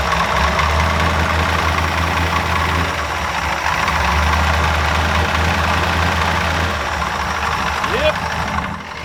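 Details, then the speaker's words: Ford F100 V8 with tapered-bore engine, idling with perfect oil pressure; uneven loping beat with dull irregular knock and the exhaust sucking air back in, one cylinder misfiring; compression test considered, engine to be pulled apart. "i think still runs really good but i can hear one cylinder's not happy so i kind of want to do a compression test"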